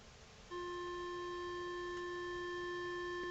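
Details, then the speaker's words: Sony STR-K840P receiver after repair of protect-mode fault, module reinstalled, no longer in protection; left/right speaker channel test: clean steady beep tone with no crackle, dropout or buzz; channel playing normally, normal test tone. "So we need to get some speakers on this and test all the channels. Okay, so we have a just a left and right channel test."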